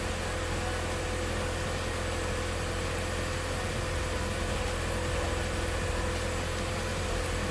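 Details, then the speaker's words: 1997 Mitsubishi Eclipse Spyder 2.4 SOHC after timing belt replacement, belts and water pump reinstalled; steady even idle, no squeal or ticking, faint background rattle; owner notes a rear exhaust rattle at certain rpm, possibly something hitting; normal idle. "but uh yeah motor sounds good now"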